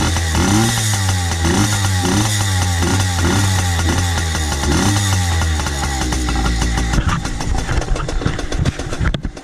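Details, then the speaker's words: 2002 Yamaha PW80 two-stroke, rebuilt with new crank, main bearings, jug, head, piston and rings, carb rebuild, just started cold and warming: quick, even popping beat settling toward idle. Normal two-stroke idle. "Okay, I don't know if you can hear me, but we're going to let that idle for a little while till it gets warm so that it'll be a fair test."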